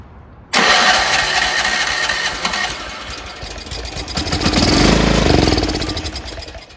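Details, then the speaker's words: Troy-Bilt 30-inch rear engine rider running on oil-gas mix, off choke after carb cleaner spray: fires, surges briefly, then fades toward stalling; not getting fuel. "All right, so it's not getting fuel. I'm taking it off choke. So we know it runs, but it's not getting fuel."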